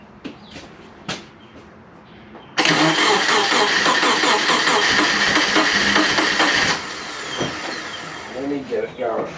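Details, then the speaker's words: Subaru Forester with big turbo and new stage 2 cams: engine catches and runs with uneven chopping pulse, about two to three beats a second; owner hopes the chuffing is from the breathers. "uh I can't tell you well but there's obviously some chopping hopefully it's from the breathers"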